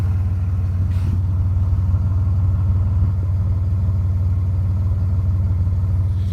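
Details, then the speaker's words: 1995 Nissan Maxima (A32) with intermittent rough idle, heard at exhaust after revving to 7000 rpm temporarily cleared it; steady, even exhaust pulse with no stumble or miss, normal idle for now. "The car is idling nicely, nice and smooth in here. No shaking, and I'll show you the exhaust. Normal, like it should be."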